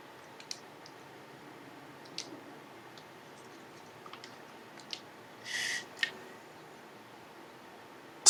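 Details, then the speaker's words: PSP-1000 (#4) after repair of switch board, analog stick and faceplate, playing tracks: quiet, few faint ticks and a brief whir; perfectly normal UMD drive seek noise. "quiet that's good that's a perfectly normal seek noise"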